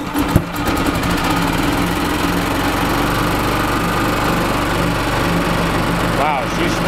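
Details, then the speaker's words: 1996 Yamaha G14 gas golf cart, governor cranked to max, pedal not floored: small engine running hard with a loud rapid knock over the rattle; no oil in engine. "wow she has got a loud knock i think they beat the crap out of this i mean i didn't even put that pedal to the floor because i know that this governor is cranked to the max and there is no flipping oil in this thing"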